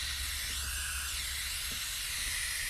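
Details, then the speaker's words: Range Rover front air suspension strut, top seal nut had loosened leaving a gap; after tightening, a steady loud high-pitched hiss of escaping air still comes from the strut top; top seal leak. "But you can also hear there's a leak up here. So obviously it doesn't have a good seal, but it was this up top that was causing my whole failure."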